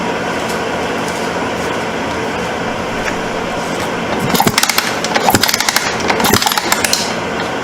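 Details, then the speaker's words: 1989 Suzuki RMX 250 dirt bike kicked over after the ignition stator was replaced, with the original coil still fitted: rattling kick-overs with no spark, so it never fires. The coil is suspected next; the cause is unconfirmed. "no fire no fire let me unhook the kill but you ain't got no fire"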